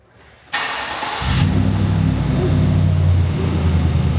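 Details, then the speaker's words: 2020 GMC Sierra pre-runner build, first startup after fitting a new performance exhaust; cranks and catches within a second, settling into a deep, steady, mellow burble with slight pops on blips, healthy start. "I think it sounds great. Yeah, I think it's just about right."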